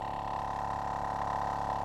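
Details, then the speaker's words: Tyre compressor powered from a Noco Genius Boost Pro GB150 lithium jump starter in override mode, below its rated 13.8 V maximum; steady hum with a fast even pulse, slower than when run off a car, still inflating the tyre; running slow on low supply voltage. "Now, it doesn't sound as fast as when it's running off a car, but"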